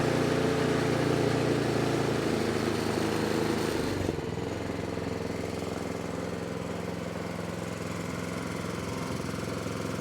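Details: 24-inch snowblower that sat 2 years, after about 15 minutes of carburetor cleaning with carburetor cleaner: it runs at a steady, even beat of about three pulses a second without stumbling or surging. Running healthy.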